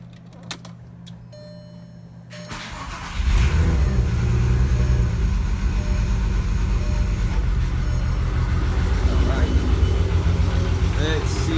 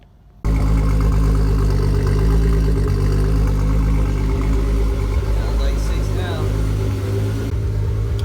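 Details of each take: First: Engine cranks and catches, then idles unevenly with a stumbling beat after fuel pressure problems were fixed; misfire from debris caught in the injectors. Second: Six-cylinder engine idling with a deep, steady, even firing beat and no stumble; earlier misfire fixed after debris caught in the injectors was cleared.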